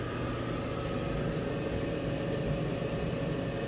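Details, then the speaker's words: Customer's fairly new clothes dryer after clearing a rodent nest and debris that caused a thump-thump, before fitting new straight-up duct: steady even hum of drum and blower, no thumping or knocking; normal running, left to heat up. "Sounds good. I'm going to let this run a little bit, get hot, and make sure it's blowing good heat."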